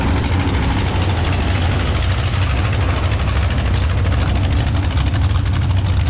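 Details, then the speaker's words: Mini rod pulling tractor at steady speed: loud, lumpy low rumble with an uneven beat and irregular stumbling firing; persistent misfire whose cause hasn't been found, with several fixes including a new switch tried. "And, that's very frustrating when you're chasing a miss."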